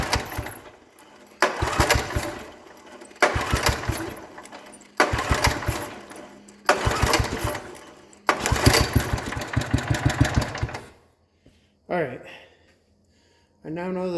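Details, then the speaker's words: 1960s Toro Professional 70 reel mower with cleaned points, spark confirmed and ether in the carb: repeated pull-starts give short sputtering bursts that catch then die each time, so it won't keep running; fuel sediment bowl plugged, carb rebuild planned. "right points have been cleaned and we have spark our gots to know so now that we've got spark I'm going to toss a little ether in the end of the car and pull the cord and see what [Applause] [Applause] happens evidently nothing"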